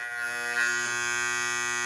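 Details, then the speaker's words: GE Telechron Tela-Alarm Jr. alarm clock, final part of a frozen rotor repair. The alarm buzzer sounds normal: a steady, even, fairly loud electric buzz with a high ringing edge. The tone is adjustable, and the buzzer is a pole pushing against the buzzer plate. "It's a very unique design by GE, and it's literally just a pole just pushing up against that that buzzer plate there."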